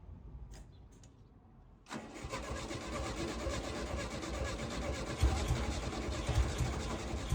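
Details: Volkswagen dune buggy air-cooled engine, abandoned long near the beach and badly rusted, restored with coil and lines reconnected: cranks briefly, catches after about two seconds and settles into a steady idle with a slight flutter.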